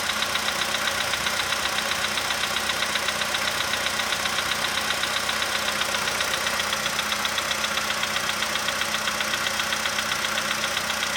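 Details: 2015 VW Polo sedan cold idle, engine about 20°C, outside −2.5°C: even sharp tick about four per second over smooth idle, fading as it warms; owner unsure, suspects cold valve or hydraulic lifter.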